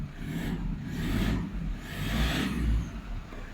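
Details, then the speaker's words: Car audio preamp returned after about three years, customer reporting whine following engine revs; engine revved with power on and no music: low rising and falling rumble, no whine through tweeter or midrange; normal audio. "มาดูดี้ทวิตเตอร์นะไม่มีนิดไม่มีแม้แต่นิดเดียวเลยนะครับเสียงหวีดนะฮะ"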